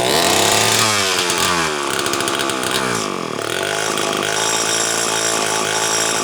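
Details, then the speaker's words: Homelite XL-12 chainsaw that won't rev up or hold its tune, which a shop blamed on 90 psi compression: it surges and drops whenever the throttle opens despite great spark on the tester, an ignition misfire. "that's not carburetor related that's ignition related I can tell you that right now interestingly enough it has good it has great spark actually"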